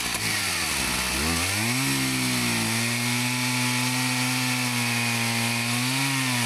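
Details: Husqvarna 162 chainsaw, about 50 years old, repaired after not running, cutting firewood rounds: revs climb quickly, then hold a steady high scream through the cut without bogging; running perfectly with plenty of power; healthy cutting.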